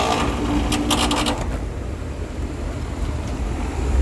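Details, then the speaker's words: Air conditioner condenser on a no-cooling call, turned back on after the contactor was replaced, with supply at 237–240 V. It kicks on with rattly clatter for about a second, then settles into a steady low hum. A rough start after sitting off; low charge suspected, not confirmed. "that didn't sound real good it sounds better it's been off for a little while"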